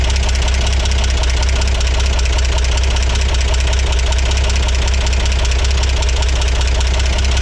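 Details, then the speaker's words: 1963 Corvair engine at idle after rockers adjusted: dull, uneven knock over low rumble, keeping time with rotation; owner suspected loose rockers but heard no change tightening them, so knock may not be valve-related. "I didn't hear any difference there at all when it was totally loose versus when it was uh tightened back up I heard no difference so I don't know if I messed these two up or not or if that was even the problem cuz it sounds like it may not be coming from the valves after all"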